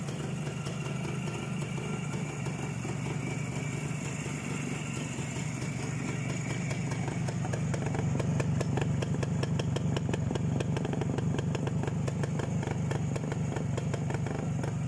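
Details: ČZ 175/450 two-stroke motorcycle, first real start after fitting a Vape 6V contactless ignition (SZ14): crisp popping at about four beats a second, firming and quickening slightly midway; even, healthy idle.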